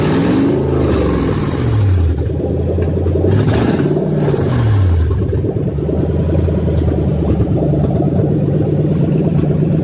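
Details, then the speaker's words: Toyota 3UZ V8 on a test stand, ECU flashed for manual, for a swap into an IS300, no radiator fitted: several blips rising and dropping back cleanly to an even idle with no knocks or misfires; healthy. "Yeah, let's give her a test run. It's going to prime the fuel slightly, ignition start."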